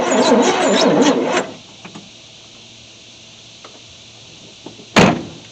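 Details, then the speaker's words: 1973 Chevy C10 squarebody, not run for 27 years, fuel line from the tank cut, first key attempt, oil found overfull and fuel smelling of bad gas: slow, laboring crank for about 1.5 seconds that never catches. Cranks but no start. "Alright, well, it cranks. Cranking pretty slow, but it cranks."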